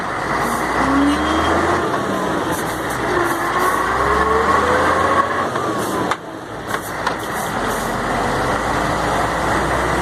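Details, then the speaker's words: Mercedes-Benz MB 1634 diesel truck road test after differential repair: steady road and drivetrain drone on and off throttle, no howl or whine; the noise that appeared only when lifting off the accelerator is gone, differential normal. "acabou o barulho linda agora e agora acabou o barulho mesmo"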